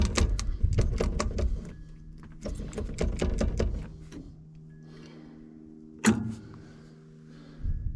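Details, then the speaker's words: John Deere 890 excavator, first start attempt after years sitting with frozen controls: rapid bursts of sharp solenoid clicks at each key turn, no cranking. The starter isn't getting power. "it's clicking on really hard but the starter isn't turning"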